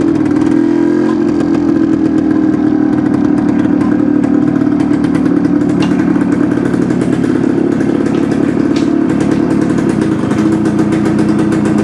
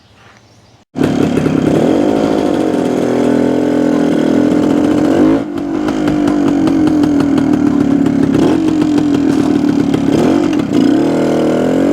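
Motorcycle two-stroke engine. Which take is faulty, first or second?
first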